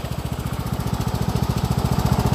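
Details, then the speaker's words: Cub Cadet riding mower, about 274 hours, idling healthy after replacing a burnt deck belt that had caused deck shaking; fast, even single-cylinder thumping, no knocks or rattles; no battery light, only parking brake light. "we have a healthy lawn mower we don't have a battery light we have a parking brake light"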